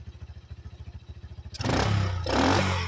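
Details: 1985 Yamaha Moto 4 single-cylinder after the old carburetor was replaced with a new one: even, steady thumping idle, then a clean rev that picks up without stumbling; running quietly and healthy, and the owner thinks it's fixed.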